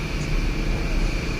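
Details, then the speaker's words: 2011 Volkswagen Tiguan 2.0L turbo crank-no-start with code 01259 fuel pump relay open/short to ground: with the pump relay jumped, the engine starts and runs with a steady even hum, no misses; bad fuel pump module suspected. Normal running. "see if we can start this car up without falling there we go now the car's running"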